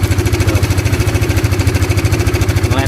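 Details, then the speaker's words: Honda CBR motorcycle before repair, complaint of a rough engine noise. Fast, even ticking over the single-cylinder idle that stays harsh even when revved, traced to the cam chain tensioner: cam chain tensioner ticking. "Sekalipun kita menggebernya , suaranya tetap terdengar menakutkan. Melihat. Nah, suaranya ... sungguh kasar sekali, man."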